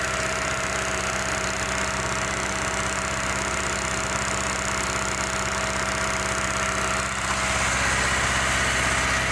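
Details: 2005 Hyundai Matrix with P0302 cylinder-two misfire from low compression (ring problem): steady even idle, constant hum, no stumble or skip; running smoothly.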